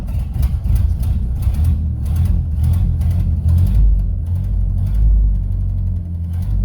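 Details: 1931 Ford Model A Coupe, out of storage 4-5 years, started after fresh oil, fuel on, spark retarded: low, steady four-cylinder rumble with even pulses and gentle rev rises, no knocks or misses; runs great, normal running.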